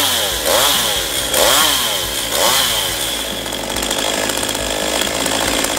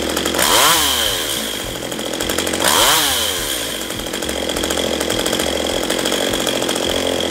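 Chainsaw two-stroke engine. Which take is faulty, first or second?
second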